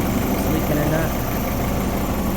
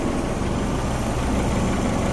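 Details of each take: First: Honda Civic with H22 engine at a steady idle after reassembly and resealing with RTV (KS Tuned oil pan issue): the earlier ticking is gone, no tick over the rumble, and the engine sounds much healthier. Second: Honda Civic H22 engine idling roughly after reassembly and resealing (KS Tuned oil pan issue), with a dense low rumble that never settles.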